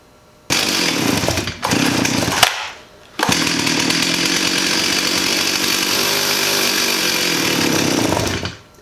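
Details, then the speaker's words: 1985 Stihl 028 AV Super electronic chainsaw, sat about 10–15 years: catches, dies, then runs a steady fast rasp only on full or half choke; suspected carburetor blockage and lean low-speed mixture. "so it's just running on choke right now full choke and half choke that could mean that there's a blockage in the carburetor pulling fuel more through another jet"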